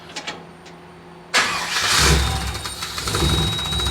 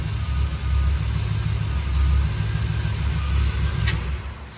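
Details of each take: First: Cab-over truck with a 454 engine, after a new ignition module and a rebuilt throttle body: cranks a few seconds, then starts on its own and settles into a steady idle at the proper rpm. Throttle response is still slightly off. Normal start. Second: Cabover truck 454 V8 with rebuilt fuel-injection throttle body and replaced fuel pump: lumpy, uneven idle that surges and dips irregularly. Spark plugs are completely fouled and some plug wires are suspect; cause not confirmed.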